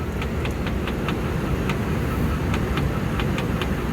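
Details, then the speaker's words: Large Trane package rooftop HVAC unit on a no-cooling call, dirty coils: sharp, fairly regular ticks, about three a second, over the unit's steady low roar, abnormal. "felt ticking that doesn't sound good"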